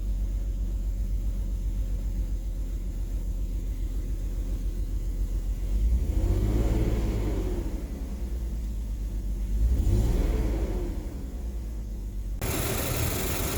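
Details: BMW 330ci petrol engine with a low, uneven rough idle rumble, the beat wandering with two slow surges in engine speed; cause unclear.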